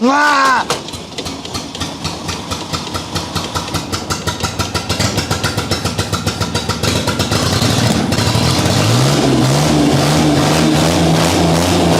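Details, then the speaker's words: 1984 Ford Capri with an old carburetor V6, restored after being abandoned, started with starting fluid and slow to catch; a rough catching start firms into a steady, even beat with rising revs and no knocks; normal running. "As you can hear and as you can see, this car is really powerful, and I wish the day these things comes out of my garage will come as soon as possible."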